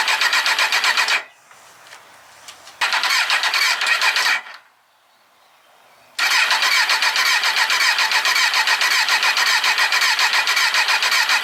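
Fast steady starter whirring about three to four strokes a second, stopping and retrying twice, never catching; long crank without firing after storage.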